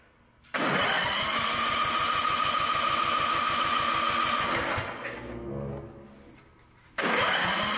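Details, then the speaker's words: Newer riding mower with the maker's own Chinese-made engine and electric throttle, which had been running very rich as if the choke was on: steady starter cranking for four seconds with no catch. Crank no-start. "It's not starting now. It won't even start. Well, that's weird. It was running, but it was running like the choke was on."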